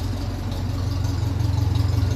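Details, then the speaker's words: 1957 Ferguson 35 TVO tractor exhaust after repair, JB Weld reinforcement still planned: deep, even low thump at idle, steady rhythm, no rasp or blowing; sounds like a proper TVO, normal exhaust note. "definitely sounds nice you heard that coming that kind of a nice com up the road"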